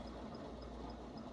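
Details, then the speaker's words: S&M Credence BMX front wheel with race bearings in the hubs coasting after a spin: smooth quiet whir with a light tick about every quarter second, bearings spinning freely with almost no friction. "You guys hear that? That's the sound of the race bearings. I love hearing that sound when I'm going down a hill."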